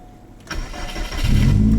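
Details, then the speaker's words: Car after tightening a loose cam sensor bolt (owner suspects lost cam sync caused cutting out); short crank catches within about a second, then an even, smoother idle, a normal start. "Definitely a little quicker. Back to kind of normal. It sounds a lot smoother."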